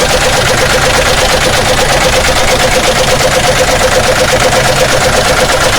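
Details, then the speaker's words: Omega engine with its valve cover removed, after a water leak was fixed by replacing a block water seal: hard, fast, loud metallic clatter from inside the block; marks found later suggest a broken connecting rod knocking. "a partida tá com o barulho barulho muito forte aí do motor né tá ligando aí para vocês ter uma ideia de como montar o barulho"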